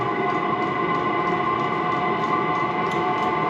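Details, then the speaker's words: Chinese 12V 5 kW diesel heater starting up, fuel pump and fan kicked in, glow plug on, drawing about 8.3 amps: even, steady fan whir with light regular pump ticking; normal running. "the fuel pump's kicked in fans kicking on the glow plug must be kicking in"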